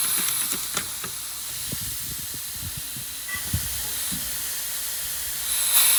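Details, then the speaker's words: Wanderlodge bus with Detroit 6V92TA diesel, brakes applied: steady high airy hiss under scattered clatter, compressed air leaking from the brake valve, previously masked by another leak. "this brickhouse is leaking too you couldn't hear that one because the other one was leaking hit the brakes"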